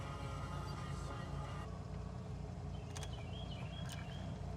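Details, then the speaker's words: 1993 Dodge Viper V10, cold start, engine still cold, mic close to the engine, passenger side: low, even rumble at idle with only intake hiss, no ticks or knocks; healthy. "getting up close you can hear there are no mechanical noises or other issues just that the air going in is the only sound you really hear"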